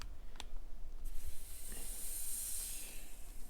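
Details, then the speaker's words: Maple sap vacuum pump system after tapping trees, valve opened to the line: soft steady hiss rising with light low rumble behind; vacuum drawing normally, checking for leaks. "There's a vacuum there. Should in a couple minutes know if I have any leaks. I shouldn't be any leaks."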